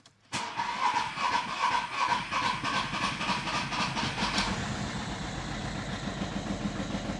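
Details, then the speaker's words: Audi A4 2.0 TDI diesel after turbo replacement, rocker cover resting loose, started up: cranks and catches, then runs unevenly with a lumpy, wavering beat; still rough running, injectors, compression loss or internal damage suspected. "Yep, still runs like shit."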